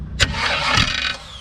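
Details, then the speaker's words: Cranking from underneath on a figure-8 derby car: sharp clack, a second of harsh grinding whir, then a thin whine winding down with no start; the starter is loose and moving with the flex plate, and the owner suspects the starter is junk. "Alright, hang on. I honestly think the starter's junk."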